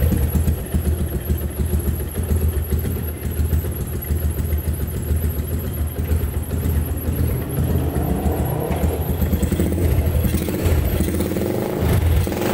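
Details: Yamaha Jupiter MX (carbureted, owner had smoking and rough block/piston noise with weak compression) after block and piston rework, test ridden a day: small single ticks over with steady, even low putter, no knocks or misses, smooth healthy idle.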